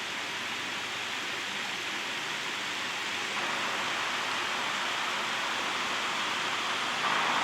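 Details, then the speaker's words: 1960s GE window fan running on high after cleaning and oiling the motor; quiet, steady even rush of air with smooth hum, no ticking or rubbing, moving a lot of air; output shaft flat rounded off but blade tight. "It's quiet. It's moving a lot of air too."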